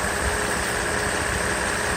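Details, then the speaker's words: Mercedes SL600 V12 at idle on the car after a full overhaul of its previously badly repaired throttle body (ASR problem): internals moved to a case with clutch coil, motor brushes, wiring, connector and throttle-plate shaft bolt redone; smooth, steady idle, runs nice; normal idle. "as you can see it works pretty happy with the result you see the engine runs nice ready so we're good to go"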